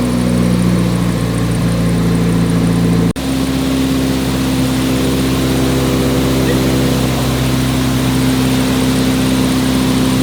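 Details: Nissan 180SX Type X, SR engine, TD06 20G turbo, on the dyno at 15 psi with injectors maxed near 255 rwkw: loud, steady drone at even pitch, a brief cut, then pulling smoothly again without stumbles. Healthy engine under load.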